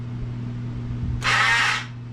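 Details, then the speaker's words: Stella scooter with a non-working electric start, hard to kick, running poorly. Steady hum, then about half a second of harsh, rough whirring. The starter motor itself sounds bad and likely needs rebuilding; relay not at fault. "yeah all right well that's not the relay that's the starter that sounds terrible so something tells me that starter needs to be rebuilt"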